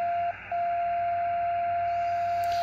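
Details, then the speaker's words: Xiegu X6100 ham radio with no antenna connected, RF gain not fully up: a steady pure whistle at one pitch over faint hiss, dropping out and returning, like someone tuning up; spurious tone (birdie) generated inside the receiver. "so I that sounds like somebody tuning up and I don't even have any antenna hooked up"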